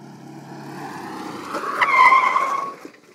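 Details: Souped-up golf cart with its governor removed, braking hard on a path: a rough rolling rush builds into a sharp, high brake squeal for about a second under hard stopping, then fades out.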